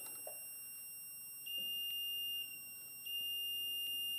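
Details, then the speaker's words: Two-stroke Yamaha YL1 ignition timing being set with a sound indicator on the points and a dial indicator: a steady high buzz drops to a lower tone as the crank passes the mark, less than half a thousandth off; timing correct. "reverse and watch the needle come to zero and listen for the tone change it's about as close as you're going to get it we're less than half a thousands off"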